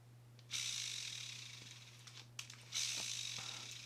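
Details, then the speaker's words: Shimano Bantam Curado CU-200 baitcasting reel, uncleaned for several years, handle cranked: dry gritty high rasp with faint hum, no grease left in the worm gear; bearings possibly worn. "I can see in the worm gear there's no there's no grease left inside this worm gear trying to get to where light catches it so there's no grease in it it sounds like it's pretty dry"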